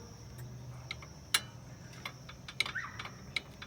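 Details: 2014 Fiat Uno Vivace brake pad retaining spring loose, letting pad move: sharp irregular metallic ticks and light rattles about once a second, heard driving over bumps.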